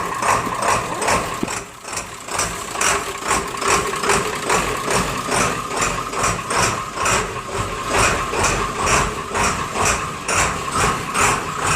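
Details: Diesel Rhino with a slow, hard cold start in chilly weather, fixed with new glow plugs: cold start after one glow plug cycle gives even, steady idle clatter at about two pulses a second with no misses; healthy cold idle.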